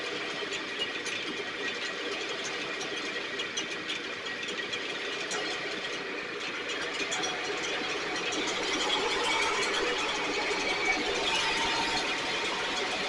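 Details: STIHL backpack blower (believed 6R450), after cleaning and repair; idle previously fluctuated and couldn't be adjusted. Steady high-pitched two-stroke roar with slight uneven flutter, no misfires; running much better, still loading up slightly, owner suspects internal carbon buildup.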